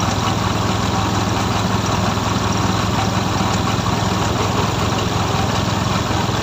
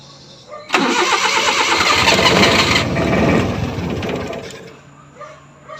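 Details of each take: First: F6A three-cylinder engine: steady, even idle with no misses or knocks, holding constant speed; healthy idle. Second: F6A engine: starter chugs steadily about three times a second for several seconds, then fades without catching; hard starting.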